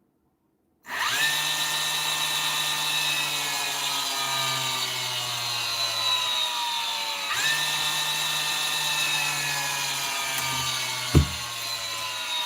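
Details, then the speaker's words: Nail gun motor on a 6-year-old machine after trigger-contact repair (points bent closer for more spring, starts with lighter trigger pull): spins up instantly to a smooth, steady high whine without stutter or grinding; motor sounds healthy, not rough. "Motor's not sounding too bad nothing either for a 6-year-old machine. Sometimes it can be very, very rough."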